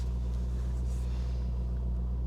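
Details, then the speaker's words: Corvette at a salvage auction, oil sticker showing 120,000 miles in 2019, with warning messages displayed; steady, even low V8 rumble with no knocks, misses or rattles; engine idling smoothly and healthy. "I really can't but it does sound good"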